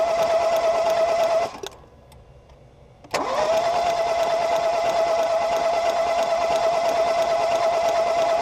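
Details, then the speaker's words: 2018 Ford Focus SE that sat for weeks with water reported in the cylinders, cranked with spark plugs out. Fast, even cranking with a steady starter whine and no compression, halting briefly then resuming; a lot of water shot out of the cylinders. Engine not seized. "well they're right about watering the cylinders bunch of it shot out soaked the camera so I guess that's good"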